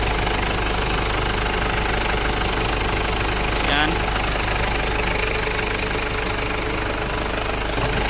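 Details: Car engine at idle with the air conditioning switched on: busy idle with a rattling knock about three or four times a second, noisy with the A/C on, cause unclear.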